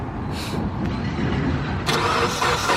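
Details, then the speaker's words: Mitsubishi Lancer Evolution X after new headlight install: starter whirs and engine turns over steadily but never catches; owner suspects the fuel pump fuse was pulled, not confirmed. "did you pull the fuel pump fuse I don't I hope not you probably pulled the fuel pump for"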